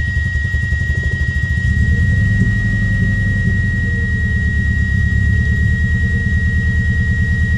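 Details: Subaru Impreza with a steady misfire at idle: uneven, lumpy beat stumbling about three times a second instead of running smooth; owner suspects ignition coils or MAF sensor, unconfirmed.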